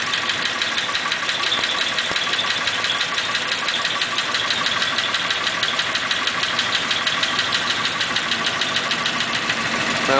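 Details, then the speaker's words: 1941 Pontiac, warming up: fast light tapping about three per second, uneven at times, as a valve hangs up and drops a cylinder when revved; sticking valve, likely valve guides. "it's not hung up right now but it'll hang up and drop that cylinder it's actually running pretty smooth right now if I rev it up it'll drop that uh that valve will catch and it'll you can hear it start hanging up a little bit"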